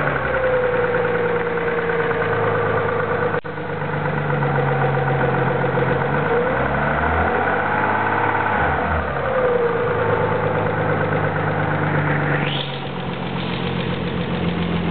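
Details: Petrol engine idling before an oil change and adding a quart of ATF to clean lifters: faint light valvetrain ticking, clearest around 10 seconds and near the end; owner suspects lifter tick.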